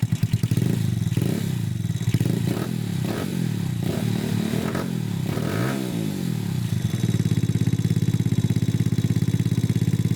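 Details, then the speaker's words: Honda Grom clone single-cylinder after valve adjustment, no air filter yet: fast idle wavers briefly while mixture is adjusted, then settles to an even healthy beat; normal idle. "It is idling. So we have a running ground clone right now."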